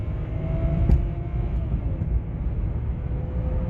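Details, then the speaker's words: 2007 BMW E60 525i, about 65,000 miles, brought in for humming noise then no drive, on test road: smooth low drone with faint steady tone, no banging or whine, shifting through all gears; drivetrain running fine. "slow it isn't fast but it's doing everything it should do it's just a shame it's not fast"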